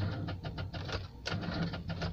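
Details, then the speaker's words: Car after a frozen engine block was thawed: short, sluggish cranking pulses with no catch, slow turnover blamed on a weak battery that needs recharging. "Не хочет, надо еще, короче, заряжать аккумулятор."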